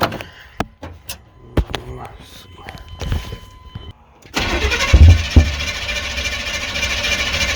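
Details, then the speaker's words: 1993 GMC C1500 SBC 350 with new camshaft, cranking on old gas with a dry-looking fuel pump and fuel poured in: starter spins with a couple of dull pops out the exhaust but never catches. Distributor ignition timing is out. "you can't really hear it but all it's doing is kind of popping out the exhaust"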